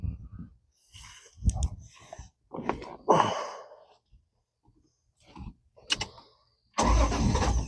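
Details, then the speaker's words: 1972 Dodge Dart Swinger, carburetted, no choke, started after a couple of pedal pumps: short cranking bursts then catches into even steady run, no ticking from the repaired exhaust manifold bolts; normal start. "Couple pumps. See what [snorts] happens. It should fire right up pretty well."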